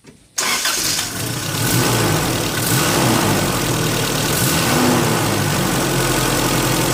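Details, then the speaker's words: Holden Rodeo 2.6 after cleaning the MAF, screen and throttle body with degreaser and throttle-body spray, previously stumbling: now starts right away into a steady, smooth idle with a soft turbine-like whooshing of air through intake and exhaust, no misses; normal idle. "However, having done that work, the engine does have sort of, I'd describe it as a turbine type of sound. That's the sound of the air coming in and the and throughout the engine and out the exhaust."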